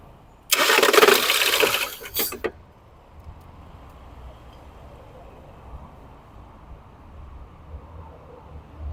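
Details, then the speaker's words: Ford Fusion 2.0, cold, cranked with coils disconnected: loud harsh grinding rasp about two seconds while cranking, then quiet; noise comes from a broken flywheel ring gear, not the engine, fix is replacing the flywheel. "vou pedir para alguém da partida desligar as bobina a gente vai ver o barulho pior ainda tá"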